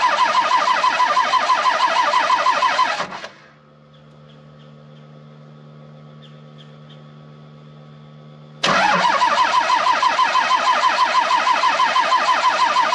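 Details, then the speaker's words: 12-valve Cummins diesel, five-speed, in cold weather around −17°, possibly tampered pump and injectors: long, steady cranking at about three beats a second, a pause, then more cranking without firing; hard start, cause not yet confirmed. "um it doesn't start very well in the cold and for the past while i mean this morning was like negative 17 degrees out"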